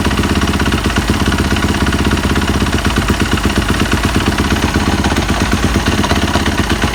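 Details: 2015 Yamaha YZF 250 single-cylinder engine running with a steady metallic rattle and knock over its low thump; owner unsure of the cause.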